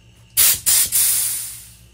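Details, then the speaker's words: Rehabbed Craftsman air compressor with new Flexzilla hose, couplers and ball valve, air chuck blower attached: three sharp hissing blasts tapering to quiet; possibly a slight leak, far less than before the repair; normal air flow. "so I believe I can hear a slight leak but it's nowhere like it used to be where I could hear it across the garage"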